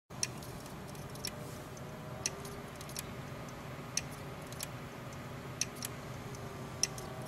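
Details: Seagate 1.5 TB hard drive: sharp, isolated clicks every half second to second over a faint hum; cause not yet known.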